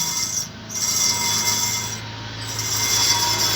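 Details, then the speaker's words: Mahindra Scorpio N new model while driving: hissy, scraping brake rub swelling and fading about every 1.5 seconds with wheel rotation; disc brake pads are opened, cleaned and changed. "क्या होता है जब हमारी गाड़ी चलती है तो उसकी ब्रेक में कई बार साउंड आ जाती है ये देखिए"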